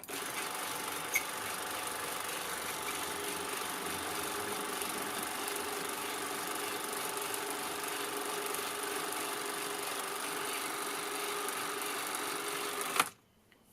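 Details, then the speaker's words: Canon Scoopic 16M 16mm camera, probably unused since the 80s and partly disassembled and repaired, running loaded film; even, fast whir with light steady chatter, no speed wander, film running normally. "So that seems reasonably good. I'll run it through to about the middle and end and then show you what the sync is like then."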